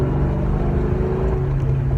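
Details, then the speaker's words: 2001 Mustang GT, 2V 4.6 V8, under light throttle: deep V8 rumble with a fast, raspy ticking riding on it, from an exhaust leak. "hear that you probably don't like that ticking noise but it sounds terrible and like anybody that's driving nearby me can hear it it sounds bad"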